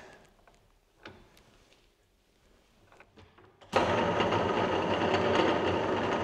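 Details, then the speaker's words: 1950s Czech TOS C-45 lathe saved from scrap, headstock gearbox run in the lowest gear (speed range 28–710 rpm). After a quiet start there is a dense, steady, loud but even whirring gear noise, normal for this gear. "Nyt käydään läpi tuossa, miltä se kuulostaa. Nyt on hittain vai?"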